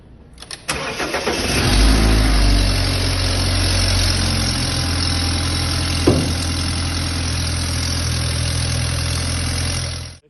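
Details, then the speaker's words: BMW 320 at cold morning start with scanner connected: idle with a sharp, raspy ticking puff that sounds like engine trouble but is diagnosed as burnt exhaust manifold gasket rings. "se quiser é simplesmente os anéis do escapamento do coletor de escapamento que queimaram aí e faz toda essa barulheira aí parecendo algum problema motor alguma coisa assim"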